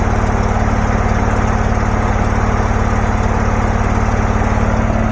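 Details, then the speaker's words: Abandoned John Deere garden tractor with a Briggs Intech 20 hp twin, said to have had a dead cylinder and to burn oil, now revived: a steady, even low thrum at about three beats per second with no misses or knocks; runs perfectly. "Seems to be running perfectly. I don't. It runs great. That thing sounds. This sounds better than anything I own."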